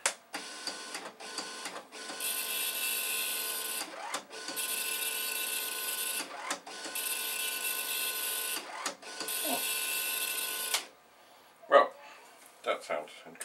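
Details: Commodore MPS-801 dot matrix printer self-test in T position, no paper loaded: bursts of high buzzing as the head sweeps, pauses between passes, clunks at line ends; normal self-test printing.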